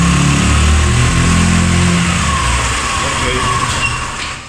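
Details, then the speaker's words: 2019 Italika DS 150-G motorcycle, nearly new, complaint of stalling and black smoke: lumpy, uneven low thump at idle that sags and fades as revs drop; misfiring heavily and struggling to hold idle. "para empezar nos prende al botonazo ahí empieza a fallar a inmensa fallar está fallando más su proyecto demasiado"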